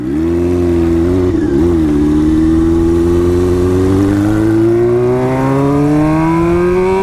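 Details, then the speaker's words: Motorcycle test run right after a transmission rebuild with the bad gears replaced. The Power Commander issue is believed fixed and the fairings are still off. Engine note climbs smoothly with a clean shift dip, and it goes through the gears well. Normal running. "Seems to be all right. Goes through the gears pretty well. I'm pretty satisfied with that."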